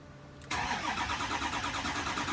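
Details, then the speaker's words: Ford E450 diesel motorhome after upper fuel filter replacement, fuel pump cycled to purge air; starter cranks steadily a few seconds before catching; extended cranking before start. "I'll give her a fire up right now and you'll see that it takes a while to start"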